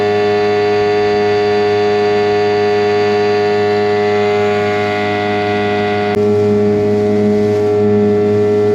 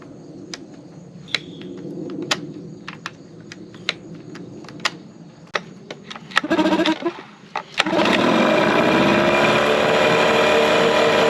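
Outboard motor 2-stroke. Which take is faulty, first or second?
second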